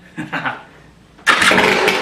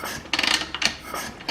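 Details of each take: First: KTM 300 EXC two-stroke after a top end rebuild (old piston had a blown section and over 5 mm ring end gap), first start with high compression: crisp popping beat settles without knocks or rattles; clean normal startup. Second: KTM 300 EXC two-stroke during top-end rebuild diagnosis, kicked over: sharp hissing gusts of air blow out of the water pipe inlet with each kick, exhaust gas leaking into cooling system, suspected blown gasket.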